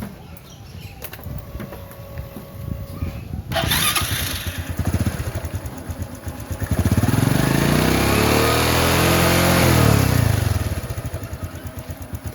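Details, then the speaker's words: Honda Supra X125 FI after installing a new cam chain tensioner and timing chain; the engine starts and settles into an even idle, then revs up and down smoothly with no chain rattle or ticking. "Top. Suaranya halus. Oke."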